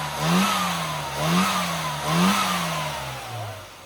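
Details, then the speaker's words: Classic car at tuning demo after fitting a new curved distributor giving proper vacuum advance; three crisp throttle blips, revs rising and falling cleanly to smooth idle, no misfire or hesitation; runs better than before, normal revving. "Sounds better now, doesn't it? Sounded good before."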